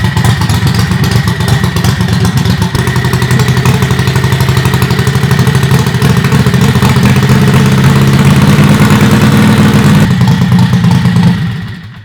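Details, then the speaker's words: Predator 670cc V-twin dragster, fuel tank about a third full, crankshaft known to have some play: loud choppy steady lumpy idle with small blips before shutoff; sounds healthy. "There it is. It sounds good, man."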